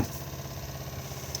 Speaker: As you can hear, I have not turned off the water pump, so what it's now frantically doing is trying to refill the boiler back up again.